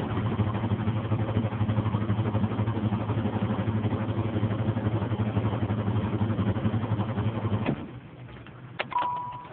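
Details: 1993 Chevrolet Camaro 3.4 SFI: the starter cranks at a steady four beats a second for about eight seconds but the engine never fires. It has had fuel and a month of no-start, with the cause unknown.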